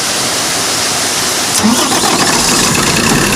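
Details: Howo 380 diesel truck with no-start (cranking only) after fitting new injectors: catches at about 1.5 seconds then settles into a steady even idle without misfire; fixed.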